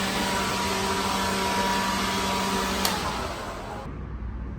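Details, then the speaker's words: Pawn-shop leaf blower clearing particles from a truck trailer gives an even high fan whine with rushing air at steady pitch, then spins down smoothly when released; it has good strength: normal running. "I mean, like I said, I could go in here a couple of times if I want to, but for the most part, it gets pretty much everything that I was trying to get done with this thing. Most of the particles are very easy to, very easy to use. Got pretty good strength."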